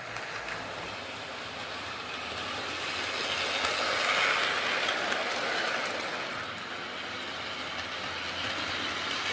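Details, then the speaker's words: Hornby R041 GWR Class 57xx Pannier tank locomotive after replacing the rear bearing (was very loud): even, fairly quiet whirr with steady track clicking about three per second while pulling wagons; running smoothly. "think that sounds better so it's definitely running an awful lot quieter with that new rear bearing"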